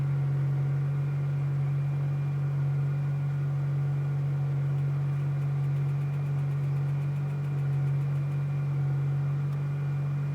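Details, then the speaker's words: 2005 Ford Powerstroke 6.0L diesel, cold start after about 5 hours plugged in (breaker blew) and a battery charge: a steady, even cranking drone with no firing pulses, turning over but not starting; hard starting, cranks without firing. "Try again. No go. Let's try this again."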